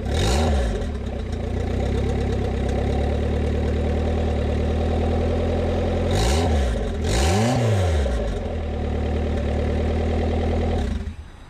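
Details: Honda Civic turbo build (cheap eBay turbo), first start after a year of building, with the oil line draining into a cup. Steady, even idle with two quick clean throttle blips that rise and settle smoothly, no knocks.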